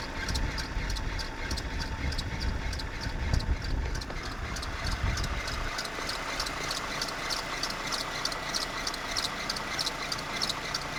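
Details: Renault F4R engine at steady idle: fast, sharp ticking at regular intervals over the engine hum; abnormal noise at idle, cause not clear.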